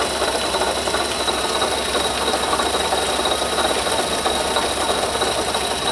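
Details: Noise under the hood growing steadily louder: continuous gritty whir with a fast rattle from the front of the running engine; bad bearing in the water pump housing.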